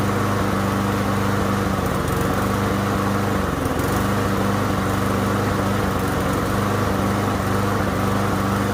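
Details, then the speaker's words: Yard Machines lawn mower with Briggs and Stratton engine running rough after being run low on gas: steady buzz that falters, hesitates and cuts out as if about to stall, blowing black smoke; owner suspects tank debris drawn into the carburetor, which is to be replaced. "And I don't know if you guys noticed that, but when it was hesitating and kept cutting out like it was going to try to turn off, it was blowing black smoke out of this here."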